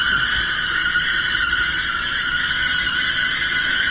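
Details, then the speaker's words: Dryer running with loud steady high-pitched screech as drum turns; fix planned: replace four drum support wheels and lubricate idler wheel, which may also cause the screech. "this has got the fix guy today we have a dryer that is making a terrible screeching sound"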